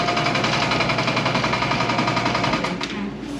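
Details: Old air compressor, reassembled after tank hydrotest: rapid even pumping chatter with light regular clicking, fading as it is unplugged; the clicking is just the check valve, nothing wrong with the pump, normal running.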